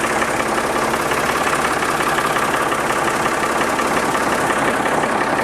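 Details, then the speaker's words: Backhoe loader diesel at warm idle (warmed about 10–15 minutes) after the oil change, sound meter reading: average about 75 dB with slightly lower peaks than before; steady even clatter, no knocks; normal warm idle, slight improvement. "on est toujours sur une moyenne à peu près de 75 décibels on arrive à avoir des pics un petit peu plus bas chose qu'on n'avait pas tout à l'heure"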